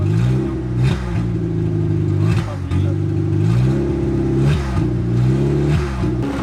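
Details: 1989 Proton Saga Magma 8v after engine overhaul (new conrod and crankshaft bearings), first start with no exhaust fitted: loud raw note with throttle blips, faint ticking underneath; no leaks found, adjustment planned after exhaust is built.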